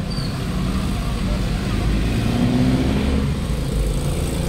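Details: 2017 Toyota Wigo automatic, previously transmission hum especially cold, after transmission filter and ATF change: steady low engine drone with no whine or hum; check engine light gone; normal transmission operation.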